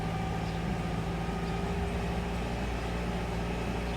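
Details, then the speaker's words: 1999 Toyota Camry started after replacing the canister, waiting to see if the check engine light clears: a steady raised engine drone, no roughness, barely dropping. Idle stays high. "Still seems to be idling at high RPMs."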